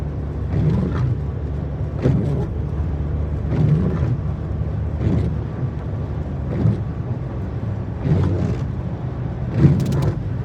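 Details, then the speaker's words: 2024 Mercedes-Benz GLE, after four dealer workshop visits: a squeak repeats with each wiper sweep, about every 1.5 s, over rain and low engine rumble; windshield wiper squeal. "Äh laut Werkstatt funktioniert der Scheibenwischer. Aber so wie man hören kann, funktioniert er wieder nicht."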